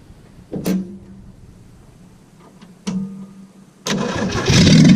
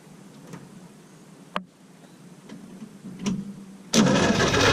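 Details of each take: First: Willys truck, after hooking up a wire to the coil and unplugging another: two brief cranks, then it catches and settles into a steady even run with a smooth low rumble. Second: Willys truck after rebuild, a little fuel in the bowl, battery connected: a few faint clicks then steady starter churn, no firing; cranks but no start because the other wires to the coil were not hooked up.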